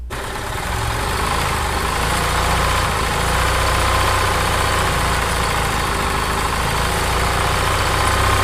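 Small single-cylinder engine runs at a steady, even idle with no knocks or misses, then picks up smoothly; sounds healthy.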